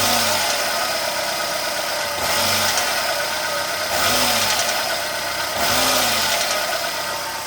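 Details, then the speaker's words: 2008 Renault Logan 1.6 8-valve at 144,000 km, cold, with timing belt rollers replaced and valves adjusted. A metallic knock inside the engine rises and falls with the revs over a rough hiss, both when revving and when driving. Cause unknown. "Звук металла. Именно когда газую, либо когда еду, при движении двигаюсь, останавливаюсь. В общем, обороты, когда поднимаются, спускаются звук."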